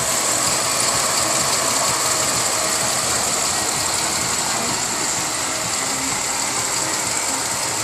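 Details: 1999 Pontiac Grand Am at idle: high, raspy chirping repeats a few times a second over a smooth idle; bad water pump at the front.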